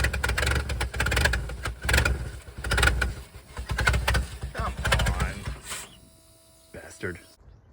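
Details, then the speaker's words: Abandoned 1979 Ford F250 V8, fuel pushed through mechanical pump, first run: catches in rough, surging bursts for about five seconds, then fades and dies, won't idle; owner suspects stuck choke. "well it uh burned all that fuel real fast doesn't want to idle kinda sounds like the choke stuck that would make sense i guess"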